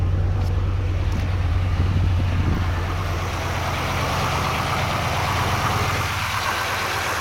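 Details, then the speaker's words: GM LS4 V8 idling after serpentine belt replacement with Dayco 6PK2900, previously squeaking: steady low rumble with no squeal or chirp; belt quiet and healthy. "Absolutely no noise coming from this belt, which is good. It was squeaking a little bit."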